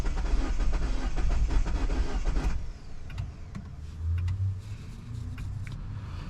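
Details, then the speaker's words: 2009 Mini Cooper S (R56, N14 turbo), unknown history, timing chain possibly never changed, battery freshly charged: steady quick cranking about four beats a second, no firing; won't start, a mechanic suspects zero compression, untested. "Um and he heard that it sounds like it has like zero compression. I haven't done any tests on this vehicle for compression or anything."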